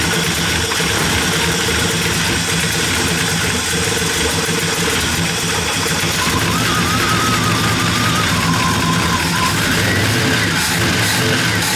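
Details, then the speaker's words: V8-swapped Ram 50 running after a new camshaft install on the factory springs, cooling system not yet refitted: a steady, choppy idle with an even lope of about three pulses a second. Healthy aggressive cam idle. ">> Yeah, it's it sounds pretty healthy. >> Definitely chomping a little bit m"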